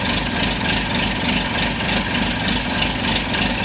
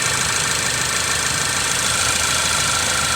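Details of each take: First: Chevy Malibu returning after timing component replacement (it previously sounded like wrenches inside the engine); the owner reports it runs fantastically. It starts right up and idles smooth and even with no rattle. Normal start and idle. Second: Ford Focus, about 2016, with check engine light, shaking and a cylinder 1 misfire: uneven, stumbling idle under a hissy engine bay; no spark on cylinder 1, and swapping coils confirmed a bad ignition coil.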